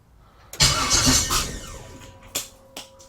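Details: LS-swapped 1956 Chevy: short crank then the engine fires with a loud rev that settles and starts cleanly; gauge then shows low oil pressure (hoped bad sensor), with a noise suspected as torque converter hitting the ring gear.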